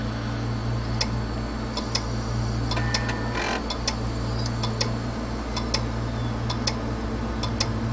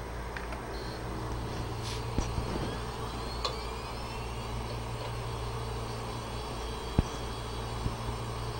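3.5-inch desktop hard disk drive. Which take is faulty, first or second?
first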